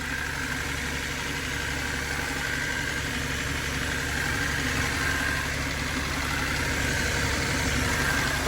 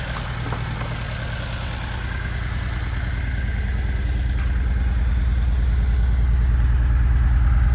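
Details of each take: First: Abandoned turbo Datsun 280Z just rewired and running: fast, even light ticking over a steady idle; owner suspects the injectors but is unsure, source unconfirmed. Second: Budget turbo Datsun 280Z after wiring work, first run: steady, even low idle at about two and a half beats per second, no misses or knocks; fuel smell present and fuel pressure confirmed; healthy idle.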